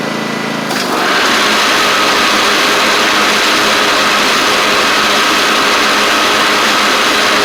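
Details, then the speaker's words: Cub Cadet Ultima ZT1 mower with a bent deck and 42-inch blades. The engine settles into a steady drone and the blades spin smoothly with no scraping or knocking. Blades stay engaged even with the PTO clutch off, so the clutch is suspected. Normal blade spin. "I forgot that's what was happening last time I was here too, but y'all hear the blades are working fine."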